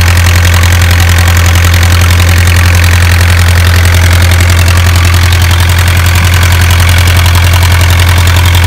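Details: Isuzu 4BA1 85 hp diesel coupled directly to a 5-inch single-impeller pump irrigating a 20-rai durian orchard, pushing water about 800 m uphill; loud, steady low drone, even clatter around two beats a second, no misses or surging; normal healthy running under load.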